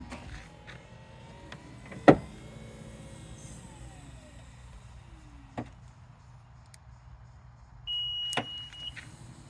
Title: Knocking noise from power tailgate on 2016 Acura RDX Elite